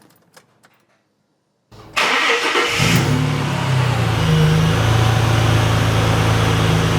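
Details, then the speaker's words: Ford BA Falcon Barra inline-six after oil, filter and spark plug service: quick crank, clean catch and smooth even idle with a light injector tick from slightly noisy injectors; engine healthy. "Yep, other than the slightly noisy injectors, all seems pretty happy."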